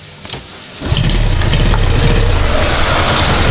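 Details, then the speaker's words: Yamaha Jupiter after head reassembly, loose valve clearances found earlier: catches after a second and settles into smooth, even running with no valve clatter or knock; oil abundant, idle adjustment off, engine not heavy. "Nah untuk olinya melimpah ya, aman, olinya melimpah. Mesin sangat-sangat halus, nggak kasar kemeletek atau apa, nggak."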